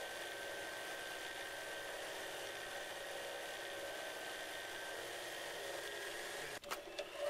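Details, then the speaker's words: Lathe lubricant friction test, two short steel rod pieces pressed together under increasing pressure with oil replenished: steady strained hum as the shaft slows under friction load, then abrupt cutoff at shutdown; load not enough to seize it. "he sound begin to indicate a slowing of a shaft speed as we continue to apply pressure the shaft continues to slow"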